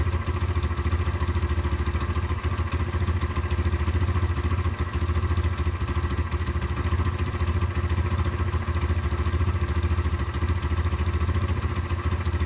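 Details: Derbi 125 motorcycle (model unknown), a former non-runner, being ridden after a carburettor clean and fuel tank clean: steady low thrum with even pulses and no stumbling, popping or hesitation; it runs cleanly and normally.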